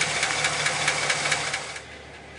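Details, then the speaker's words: 2008 Chevy Express 6.0 liter V8 with 312,000 miles and low oil pressure, after a motor flush and oil and filter change: sharp, regular lifter tick about four or five times a second at idle, likely driver's side; owner suspects a broken lifter. "I still hear a pretty good kick I'm not sure if it's on this side remember this is a big 6.0 liter v8 I believe it's on the driver's side but you can still hear that tick you can really hear it over here"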